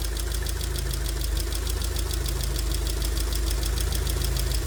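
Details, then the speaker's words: 2002 Rover 75 / MG ZT warming to normal temperature at idle. Light, quick ticking of about five a second over a steady engine note from a couple of noisy valve tappets, suspected low oil pressure; no other obviously bad engine noise. "but I cannot hear any obviously bad sound from the sound from the entr apart from a couple of taets that's loing a bit of oil pressure"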